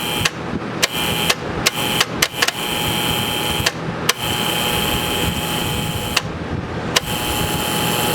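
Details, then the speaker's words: Air-cooled P502 TIG welder: irregular sharp clacks over a steady hum as the right relay, switched by the foot pedal, cycles the big main relay; points already cleaned. "Now the one here on the right is the one that controls the big relay."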